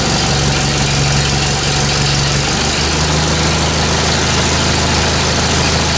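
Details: 1944 Ford 2N tractor after installing a replacement governor and an oil line bypass from the filter, started on choke: steady, even idle with a smooth low drone and none of the old governor's noise; running healthy.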